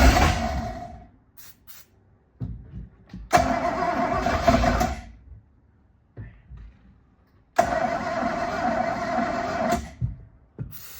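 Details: Boat engine whose cracked block and cooling jacket (never winterized) were JB Welded, on its first start-up after reinstalling with the fuel system not primed and ether on hand: the starter whirs in roughly two-second bursts with a few rough catches, but the engine never fires. Cause suspected.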